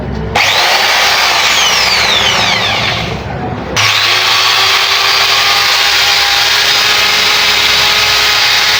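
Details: Angle grinder that would not run, after the faulty switch and the carbon brushes were replaced (armature good): a steady, high-pitched whir at even speed after spin-up, with no grinding, sparking crackle or stutter. It is running normally.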